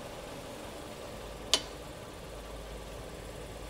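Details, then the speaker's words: Mazda Atenza (阿特兹), car in reverse, a single sharp clunk as the brake is pressed, heard from the steering knuckle area, large pad clearance noted; knuckle recently replaced, possibly non-genuine; cause suspected, not confirmed. "这还是羊角这块出来的声音呢。"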